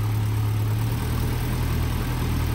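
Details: Land Rover Series 2¼ petrol engine after a valve stem seal replacement and valve overhaul, started from cold, which can be lumpy: steady, even low idle with a smooth note and no knocks or misses. Normal idle.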